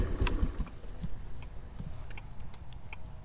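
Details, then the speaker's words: 2022 Honda NAVI 110cc carbureted scooter with the engine off right after a cold start: crisp, even clicks about every 0.4 seconds from the traditional mechanical turn-signal flasher relay; normal flasher clicking. "hear it clicky clicky clicky so it's got a traditional mechanical uh type flasher relay in there"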